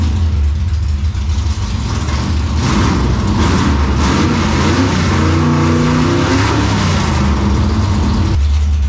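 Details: 1957 Chevy delivery with Hilborn mechanical injection, cold start after retry: catches and runs with uneven pops and spits in a rough low rumble, seeming okay once warm; popping taken as a still-lean condition.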